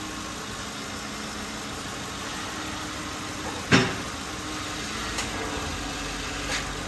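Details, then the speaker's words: 2007 Lincoln Town Car idling on the ground after repairing a power steering pressure switch leaking through its connector and bleeding the system with a vacuum pump: quiet, even idle, no pump whine or groan, one clunk, a few bubbles remaining; normal power steering. "Sounds pretty good. Got a few little bubbles in there."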